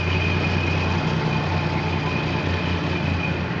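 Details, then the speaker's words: 1969 Plymouth Valiant Signet with 225 Slant 6, warm after driving home from the store: low, even idle hum with no knocks or misses; runs smooth like a sewing machine, normal idle. "you know little wear items like this and that whatever just sit there and run like a sewing"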